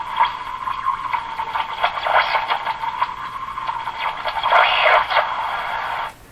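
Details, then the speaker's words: Eatons Universal Electrohome floorstanding tube radio during IF alignment check, garbled warbling output like muffled talk with a wavering whistle; the IF stage is close to breaking into spurious oscillation. "sounds like somebody's talking through their hands and then doing this that's the sound right here it's close to breaking into oscillations what it is"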